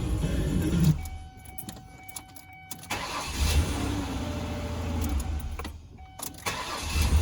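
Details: Ford Escape that earlier cranked but would not start, now starting normally: short cranks catch quickly and settle to a smooth idle with no clicking or dragging; the fault would not recur, and a loose shifter or neutral safety switch is suspected.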